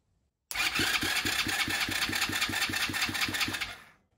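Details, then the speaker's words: Chinese 125cc ATV engine after top-end rebuild (new piston and rings, rehoned cylinder), first crank on the starter wired directly to a battery: even, strong cranking pulses about four per second, compression healthy, later measured at 150. "So what I'm going to do, strike that starter and it should turn over for the first time. Sounds good."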